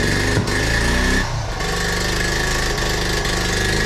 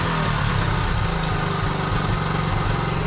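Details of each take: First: 1976 Honda Z50J1 Monkey with a new, possibly untuned carb: uneven, stumbling idle beats with skipped firings instead of a steady putter; misfire later traced to incorrect ignition points gap. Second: 1976 Honda Z50J1 Monkey after resetting ignition points gap from 1 thou to 12 thou: starts first time, steady, even single-cylinder run with a consistent low beat and no misses and noticeable power gain; normal running, gap needing slight fine-tuning.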